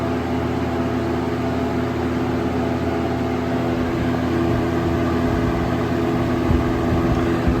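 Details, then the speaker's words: 1996 Lakewood 223 3-speed 20-inch box fan, third-gen, before restoration, on high: smooth steady rush of air over a low motor hum, no ticking or rattle; distinct speed separation, air spreads widely rather than a strong beam. Normal high-speed running. "surprisingly not as powerful as I expected on high it really spreads out the air quite a bit"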